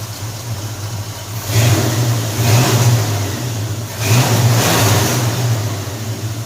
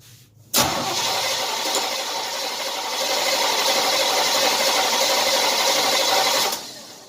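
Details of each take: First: 1978 Chevy C10 350 V8 after new Edelbrock intake and cooling parts, previously cutting out and popping through the intake on throttle: two clean throttle blips from a deep even idle, revs rising and falling crisply, no stumble; torquier, more responsive. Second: 1978 Chevy C10 350 V8 after a new Edelbrock intake, choke just set and battery weak with the alternator unhooked; steady even cranking for about six seconds that never catches. Owner suspects lost spark. Cranks but won't start.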